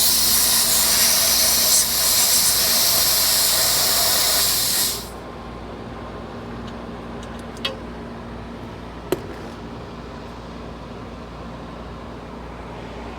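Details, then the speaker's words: HVAC unit with the disconnect off and the blower belt in fair condition, checked at the refrigerant lines: loud steady high-pitched hiss for about five seconds, then it cuts off. A definite refrigerant leak. "That's a leak right there, ain't it? That's definitely a leak."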